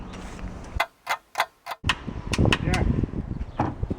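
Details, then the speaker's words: Freshly rebuilt Honda VTEC engine's first start attempt with plugs out and a full 13 V battery: four sharp clicks, no cranking. The Bendix engages but the starter won't turn the engine; it is miswired (bad brushes also suggested). "not a motor is shooting the Bendix in but it's not turning the motor"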